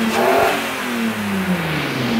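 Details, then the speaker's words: Engine previously fitted with a mismatched V2 injection system that wouldn't accelerate well: after the fix it revs up cleanly and settles back smoothly with no stumble or hesitation, now pulling properly. "ahora si va a correr way ahora si va a jalar bonito"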